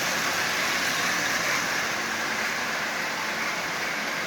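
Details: Lionel 8040 locomotive, nearly new with little runtime, motor just lubed and reassembled with added headlight, first test run forward at 50% power: even steady whirring, no grinding, squeal or catch; running quite well.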